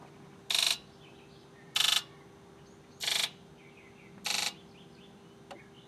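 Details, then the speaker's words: 2001 Ford F250 7.3 Powerstroke, after in-tank fuel filter and screen change, scan-tool injector buzz test counting one to eight: evenly spaced high-pitched buzzes of similar length and loudness; injectors sound relatively even and healthy. "all righty well it sounds like pretty much all the injectors are relatively close"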